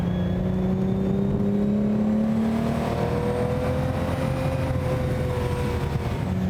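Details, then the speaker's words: Lamborghini, the 6th production car, V12 engine with off-the-shelf ZF gearbox, on the road during preparation after restoration: smooth rising multi-cylinder note climbing cleanly through the revs and settling on shifts; normal engine note under acceleration. "Uh this is an offtheshelf ZF gearbox um which is a joy to use actually but that noise I would describe as expensive."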